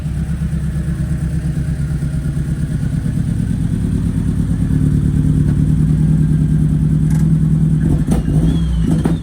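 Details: Ford Focus RS running again outside after oil leak and engine bay work: low uneven burble, irregular lope and occasional stumbles under light revs, running lumpy, cause unknown to owner.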